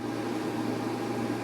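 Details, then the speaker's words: New 3000W 60V inverter in a freezing garage, fans triggering while the unit is still cold, blowing cold air at full speed, higher than the old unit: steady airy rush with faint constant hum, no rubbing or ticking; normal cooling fan operation. "success even with the unit being cold the fans have turned on their blowing out cold air it's not even that hot"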